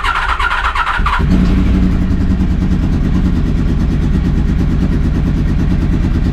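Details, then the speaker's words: 30-year-old Honda VFR 750 V4 first start after fitting a used stainless steel exhaust in place of the rotten original: brief cranking, catches in about a second, steady even low burble; healthy, white smoke believed from copper grease. "The first thing I noticed, it sounds amazing. But there was a lot of smoke."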